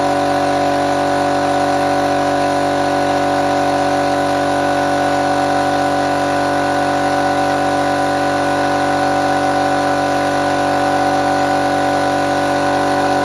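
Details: Restored old compressor fired up for the first time after refurbishment, checking whether it works: steady even drone with constant pitch and no knocks or rattles; running smoothly, normal running.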